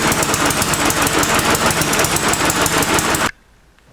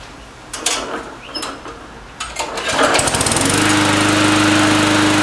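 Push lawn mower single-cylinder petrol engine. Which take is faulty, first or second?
first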